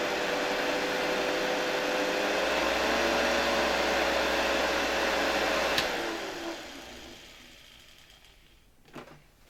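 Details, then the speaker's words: Hoover 1346A (1972) vacuum cleaner motor, cleaned, bench-run unmounted at reduced voltage for safety: a steady, smooth mid-pitched whir that winds down cleanly at switch-off. The motor is healthy. "Oczywiście obniżam napięcie, ponieważ silnik nie jest tu do niczego przymocowany, więc dla bezpieczeństwa uruchomimy go przy niższym napięciu."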